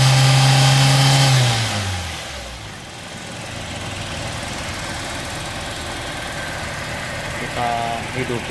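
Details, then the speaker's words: 2003 Toyota Kijang Kapsul during a tune-up, after combustion-chamber cleaning foam was sprayed in and spark plugs refitted. Starter grinds over a second before the engine catches and settles to a steady idle; long crank from residual cleaning foam. "Nah, ini agak panjang starternya karena masih ada sisa foam tadi. Kita starter panjang seperti itu."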